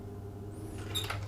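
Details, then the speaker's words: Fan oven after element replacement, on highest setting with door closed: steady low hum and even whir, no scraping or rattle, fan spinning freely and healthy. "Make sure that the fan is spinning freely by closing the door."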